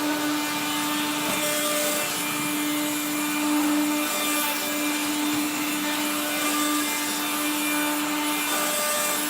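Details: 1970s Regina Electrikbroom 3-speed vacuum, motor dry after being washed, especially the fan, while vacuuming a floor: steady high whine with a rough, scratchy grind throughout, from dry motor bearings.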